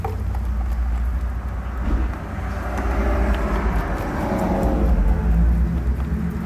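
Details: 1974 Suzuki GT250 two-stroke twin, first start after sitting over 40 years, freed up and cleaned: low, uneven burble with irregular firing as it clears out, but keeps running.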